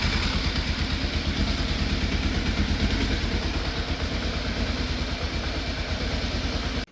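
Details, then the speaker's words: Fire-damaged Yamaha FZ750 with the choke fully off. The idle is uneven and lumpy, with dropped exhaust pulses before it cuts out, and it sounds like it is still missing. The owner suspects the carbs and plans an ultrasonic clean. "I got it to idle about as best as I can for the time being. Still sounds like it's missing a bit. So it's definitely still an issue."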